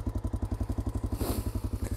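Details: Honda Dominator 650 single-cylinder dual-sport, recorded while riding: the engine thumps at about eleven beats a second with a dry clatter on top, a recurring noise that had come back. Valve train clatter, likely loose valve clearance in the top end.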